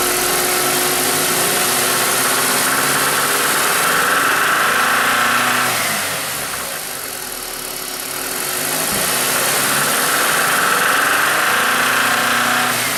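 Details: BMW N46 engine: steady knock around three or four a second over the idle, suspected bottom-end or valvetrain; owner fears it needs a rebuild, cause still unknown.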